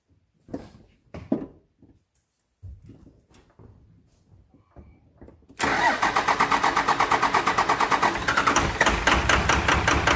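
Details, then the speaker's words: 1999 Cummins diesel after an injection pump replacement, with injector lines bled at the cylinders: catches and runs with uneven, lumpy firing while air purges, cleaning up slightly. Rough running from air in injection lines. "You can hear it, it was running kind of rough, but it's just, she did clean up just a little bit."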